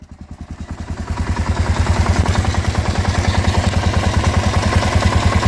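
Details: Kawasaki KLR650 single idling after the winter layup: regular heavy knocking/grinding beat, about three per second, clear over the exhaust; rhythmic knocking, source unknown, new since winter storage.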